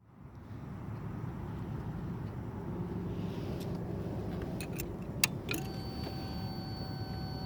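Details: Honda VFR800 at start-up: a few sharp clicks, then a steady high whistle over low engine rumble; whistling noise at start, cause unclear.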